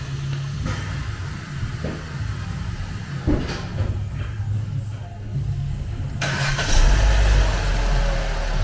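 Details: Vauxhall with P0171 lean code and ESC lamp, just after fitting a replacement valve: engine starts, brief rev, settles into steady even idle with no stumble.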